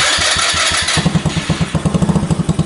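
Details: Honda Ruckus with a GY6 engine swap on a new wiring adapter harness, started with the brake held and the start button pressed: starter whirs about a second, then the engine catches into quick, even firing pulses; a clean, healthy start.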